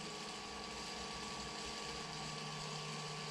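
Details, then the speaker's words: Series 8 printer during commissioning, jet restarted with phasing, errors and high-voltage deflection enabled, return going to vacuum: even steady hum and hiss, no surging or dropouts; looks and sounds good, normal running. "looks and sounds good so once we've started up this will come up and it will come up with a ready status"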